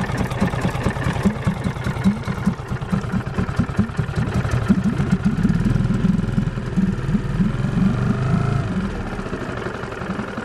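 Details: New Marlin MF 5 AMHS 4-stroke 5 hp outboard, first start on water, choke half open, throttle minimum, neutral: small single chugging at fast idle, slightly uneven but steady; normal warm-up idle.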